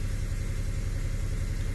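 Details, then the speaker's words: 2008 Chevrolet Impala 3.5 with hard or no start, long crank, reduced engine power and a 5-volt reference code. After clearing codes it restarts and idles smoothly and evenly; a crank sensor code remains. "if I start this thing let's turn it off and start it again should be running okay not in reduce power mode"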